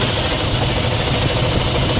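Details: Toyota Fortuner 2GD diesel idling: steady idle with low throbbing helicopter-like drone on top from worn alternator bearings.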